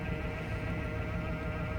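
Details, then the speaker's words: 1999 Chevrolet Suburban 1500 idling after spider injector replacement; smooth, even idle with no misfire, revs up and down without hesitation; audible power steering pump noise with no fluid in it; ABS light on; normal idle. "What you're hearing is power steering pump. There's no power steering fluid in there, but I mean, it seems to be idling okay. Not getting a misfire or nothing. Revs up and down all right. Don't hesitate, so that's a plus."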